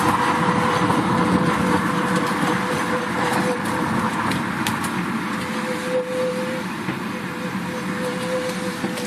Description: The noise stops when I apply the brakes but then it starts back up and it's loud when I drive slow or fast.